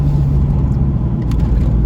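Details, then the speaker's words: Jeep Cherokee idling after exhaust manifold replacement that fixed exhaust noise. Steady, even low rumble with no ticking or puffing. Runs a lot better: normal idle. "So we'll see how this thing runs, and feels like it's running a lot better."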